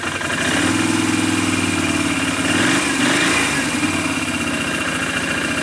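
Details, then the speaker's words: 2008 Can-Am 500 HO EFI twin ATV with CVT drive, after new plugs and AMSOIL fluid changes: even, steady low putter at about 1250 rpm, right where it should be, no misses or knocks; normal idle. "runs really good. Idles right about where it's supposed to, about 1250."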